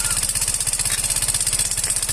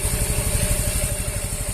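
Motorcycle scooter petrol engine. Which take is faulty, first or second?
first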